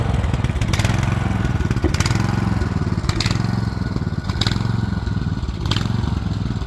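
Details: Rear-engine Snapper mower, Briggs & Stratton engine with new carburetor, stored over 10 years: low steady drone with a mild surge roughly once a second, running on its own; owner thinks the carburetor needs a little adjusting.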